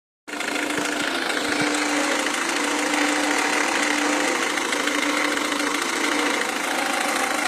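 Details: Renault Scenic 2 1.5 dCi diesel at idle: quick uneven clatter on top of the idle with a faint tone; knocking, injection suspected, cause not pinned down.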